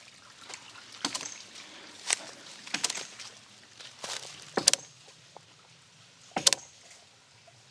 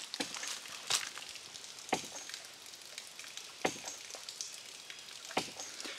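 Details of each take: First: One-inch ram pump running in a creek non-stop for three months, pressure tank totally waterlogged after its air bubble dissipated: sharp hard clicks roughly every two seconds, unevenly spaced, drive pipe hitting hard; fix is draining the tank through an installed valve. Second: One-inch ram pump in a creek, after draining its waterlogged pressure tank: soft, even clicks about every 1.5 seconds over trickling water, no hard cracking hammer in the drive pipe; normal cycling.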